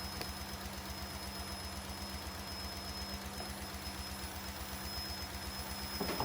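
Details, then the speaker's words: 1998 Cadillac Seville STS Northstar V8 with blown head gaskets, revived after being hydrolocked and frozen, running on fresh oil: steady idle with a thin high whistle throughout. Owner suspects a vacuum leak low on the engine. "we have a pretty bad vacuum leak on it I can hear that"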